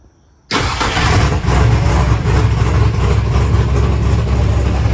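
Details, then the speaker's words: 1964 Ford Fairlane with modified dual carburetors, cold and not yet warmed up. Catches quickly and settles into a steady, even low rumble at about 900 rpm with no misses. Normal idle. "you got to It's not even warmed up yet. >> It sounds good, though."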